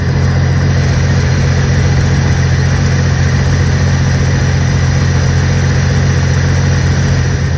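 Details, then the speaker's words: Jeep 4.0L inline-six with an extensive coolant leak, running just after a bottle of stop-leak was added: loud, even idle with a smooth steady pulse and no knocks, ticks or misses. The engine runs well despite the leak. "Like I said, it runs like a top, but it's just leaking coolant everywhere, so we'll see if it starts working its magic."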